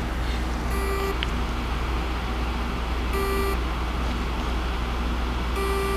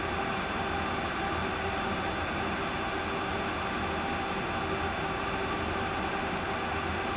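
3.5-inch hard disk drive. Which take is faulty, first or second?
first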